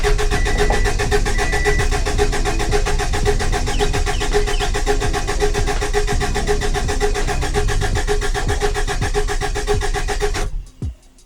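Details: Subaru Baja Turbo, freshly rebuilt engine, first start with fuel pump fuse pulled: steady rhythmic cranking about four beats a second for ten seconds, never fires, deliberate no-fuel crank to build oil pressure until the light goes out.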